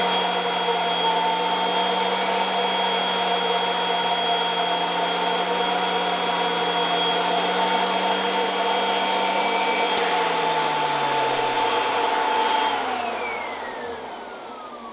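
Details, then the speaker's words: Kirby Avalir 2 vacuum with stretchy hose driving a turbo sander: steady vacuum whine and high sander tone, low hum dropping in pitch as the hose is stretched, reducing airflow and slowing the sander. "right so you could hear as i was stretching that it was reducing the airflow and the speed of the sunder"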